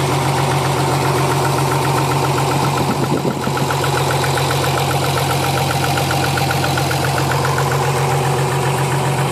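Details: Nissan 300ZX V6, warmed up at idle after new battery: quick, fairly regular tapping harsher than normal lifter tick, owner suspects rod knock from cylinder #4 or #6; knock source unconfirmed.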